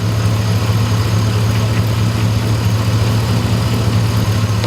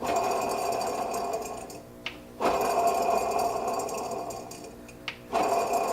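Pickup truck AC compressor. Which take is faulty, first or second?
second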